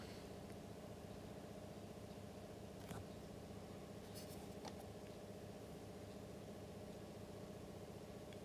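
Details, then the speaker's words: Dishwasher after water-protection (Aquastop) float switch tripped by water in the base pan, fixed by drying the pan with kitchen towels: no more blinking, program starts normally with quiet steady motor hum and light clicking; normal startup. "man jetzt die maschine starten ja die maschine startet wieder ganz normal wunderbar"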